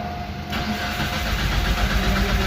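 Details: 2013 Mitsubishi Lancer: starter spins the engine at an even cranking beat but it never catches; the key's transponder was missing from its housing, so the immobilizer did not recognize the key.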